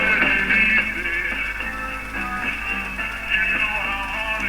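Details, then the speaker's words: RCA Victor CP-1 radio at full volume: harsh, buzzy, badly clipped music caused by a low-emission audio output valve; a replacement tube is to be tried. "I know this is the outputs valve if you recall as the audio output valve was a very low emission and it's clear that it is distorting and clipping very badly"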